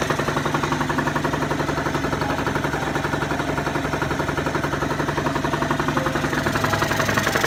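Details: Genuine Scooters Roughhouse RH50 two-stroke, cold at 26–30°F after a top-end rebuild (new cylinder, head, piston, gaskets), not yet broken in: ticking over with an even pop about twice a second, settling into a steady, healthy idle.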